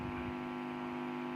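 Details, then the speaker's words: SKG microphone amplifier, repaired after amplifier-stage fuses blew and cut power to the stage: steady, clean mains buzz with even overtones through the speaker, cutting off sharply; amplifier output normal. "เพราะว่าฟิวส์นะครับฟิวส์ของภาคขยายเสียงขาดนะครับ"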